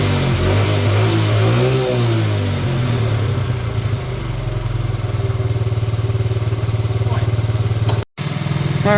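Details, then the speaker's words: 1986 Honda TRX70 first start in years: the small single-cylinder thumps along at a steady, even idle with no misses; it runs normally. It is leaking fuel. "well there we have it it actually runs"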